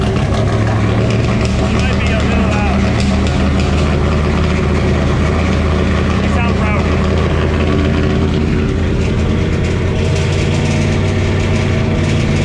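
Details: 1968 Camaro with LS swap and 4-speed manual, first start: loud, steady, fast V8 idle that never settles; vacuum leak drawing extra air, owner says the idle screw needs backing down.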